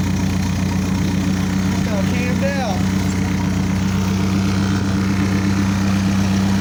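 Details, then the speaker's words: 1985 Toyota Sunrader motorhome, 22RE engine, idling after fitting LCE street header kit, no catalytic converters fitted; loud, raspy idle with a steady pulse of about four beats a second from the open exhaust. "my buddy leo is about to have me film me starting it without the cash"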